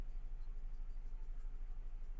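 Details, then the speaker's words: 2000 GMC 1500 parked 4 years with rodent-chewed wiring, fuel injection cleaner added: low, uneven idle with steady stumble, one cylinder missing, 40 psi oil pressure and charging; traced to a loose spark plug wire. "I think I'm uh missing on a cylinder. But, um it has 40 lbs of oil pressure."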